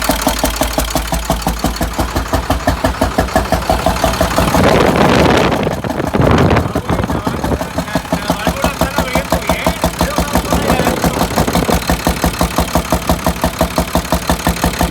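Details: International DT466 diesel idling with valve cover removed: steady heavy knock about three beats a second; cylinder 5 appears to have a problem, owner fears a bent valve; not confirmed.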